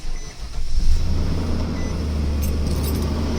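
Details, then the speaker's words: 2016 Infiniti QX80 engine bay: heavy, steady fan roar that never eases at idle and stays loud while driving, louder on throttle; stuck-engaged fan clutch, to be replaced. "See how loud the fan is? So basically the car stays loud. It's even when you're driving it won't quiet down."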